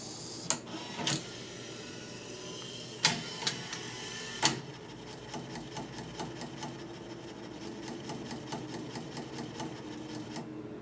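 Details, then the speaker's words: Laserdisc player whose laser sled moves to the top side, then repeatedly rams its end-stop, about three light knocks a second after sharp clacks, and the disc never spins; owner suspects a bad capacitor, not confirmed. "It's literally hitting the end-stop on its travel like banging its head against the wall."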